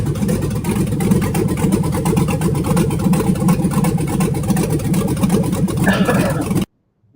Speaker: if you put a one of our low buck truck cam shafts in there or the truck plus that's on sale like the one that we're seeing here like the one that sounds like this.